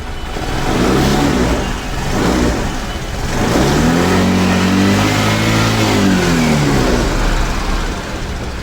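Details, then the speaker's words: TVS Access 125 scooter with misfire complaint, revved with two fingers partly blocking the intake: revs up and settles cleanly with no stumbling or stalling, pointing to the missing intake hose bush as likely cause. "यहां पर दो उंगली रखने के बाद गाड़ी बिल्कुल अच्छे से चल रही है और बंद भी नहीं हो रही है"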